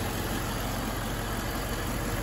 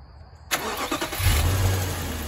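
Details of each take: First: Infiniti M45 at idle with AC off: both radiator fans running and accelerating, constant loud roar, staying at full speed even with AC on; failed fan control module. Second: Infiniti M45 with a suspected failed fan control module: starter catches quickly and engine settles into smooth, steady low idle with AC off and no fan roar over it; sounds healthy.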